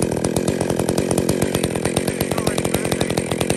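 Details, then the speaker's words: Two-stroke chainsaw with centrifugal clutch ticking over at 2500 rpm idle with the chain already starting to drag; clutch engaging at 2500 instead of 3500 rpm, pointing to weak clutch springs. "so in fact actually it's basically just started to engage at two and a half thousand which is where it should be idling where the idle should be set"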